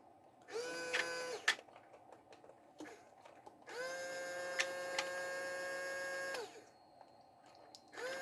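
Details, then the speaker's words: Motor on a 1:28 scale RC excavator (QY2301) powered from a 1S LiPo through a 5V 2A mini DC-DC boost module; motor whine comes in bursts that stop and restart as the supply sags under load, drawing about 400 mA, so the motor keeps cutting out. "so you can see that it's cutting out and restarting but it seems to be getting away with it at the same time"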